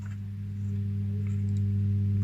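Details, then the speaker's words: Defender SPK LX 2.1 speaker system with the back cover taken off: the two satellite channels play, but switched to the subwoofer there is no sound, only a steady low mains-type hum. "просто будет то есть два канала работает не работает просто гудит и все"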